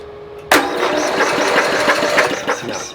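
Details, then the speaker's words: Snapper SR-series with a 10 HP Briggs & Stratton engine, stored 10 years, electric start, cold weather: steady starter cranking at about three pulses a second with no firing or catch, because there is no spark. "Okay, I'm not getting anything. Now we're going to try one more thing. We're going to try grounding the electrode with my ground wire to something a little bit better, like a fin on the motor, just to see."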